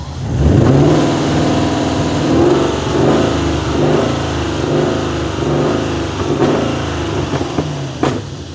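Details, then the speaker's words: BMW E34 540i 6-speed M60B40 V8 with muffler delete, revving: loud open exhaust with lumpy uneven pulse; definite misfire, suspected third cylinder, owner thinks not coil-related but something worse, borescope pending. "I mean, it runs half decent. It just definitely has a misfire."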